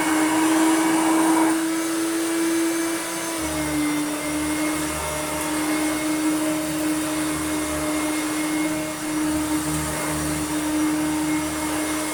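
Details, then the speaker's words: Hoover Turbomaster Electronic vacuum after new belts and belt-shifter repair; steady high motor hum with beater-brush rumble cutting in around three seconds, even in both modes; reliable on carpet and hard floor, normal running. "finally we have reliable operation on both carpet and although it's not fantastic has it hard floor"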